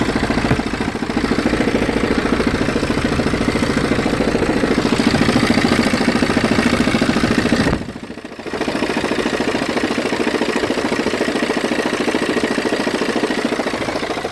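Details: BMW 320d F30 diesel at idle: rough rapid grinding/juddering at about three to four pulses a second, vibration felt through clutch pedal; disappears when revved, intermittent, sometimes absent for weeks.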